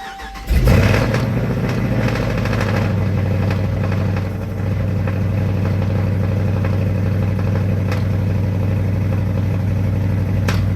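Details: Supercharged Dodge RT Hemi with cam kit and Kooks exhaust, after valve cover removal and spark plug check: catches first crank, then loud, lumpy, uneven idle while still smoking; running rough, cause unknown.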